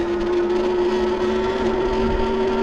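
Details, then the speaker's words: Wallke H9 AWD e-bike (2025 version or 2023 version, uncertain), riding at about 9 under throttle after a brief throttle blip cleared front-motor chattering: steady mid-pitched whine as the front hub motor pulls smoothly, no chatter or grinding; normal hub motor whine. "But I can definitely hear the front motor doing some pulling on this one."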